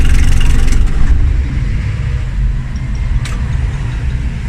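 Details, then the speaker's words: Car with no-crank/no-start complaint, after installing a brand-new battery (old one dead): one-click start, quick crank catches into steady even idle; starter fine, charging 14.1 volts, normal under load. "start one click Okay starter"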